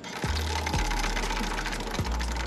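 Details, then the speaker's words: CT125 motorcycle drive chain, dirty and dry after rainy riding, turned by hand right after an oil change: dry metallic rasping with quick clicks, owner likens it to a Ferris wheel; chain needs cleaning and lube, later oiled with used gear oil. "Alright mga tol, matapos tayo mag-change oil, parinig ko lang sa inyo yung kadena natin dahil siga tayo. Ayan, nakita nyo ang dumi."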